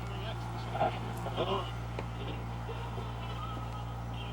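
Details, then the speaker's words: General Electric AM/FM tube radio tuned to a station. Faint audio barely above a steady mains hum and hiss, playing very quietly with poor sensitivity. Confirmed silver mica disease in the IF cans, which need their mica wafers redone. "and it's working it's just very quiet because it has silver Mica disease"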